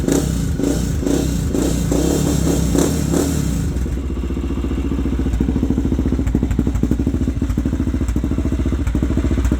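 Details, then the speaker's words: Older Honda 400EX single-cylinder sport quad at idle: uneven thumps with an occasional stumble, then throttle blips. The owner suspects a slight miss, possibly from it loading up on fuel; not sure. "Seems like it has like a little bit of a miss or something. Might just be loading up on fuel. I'm not quite sure."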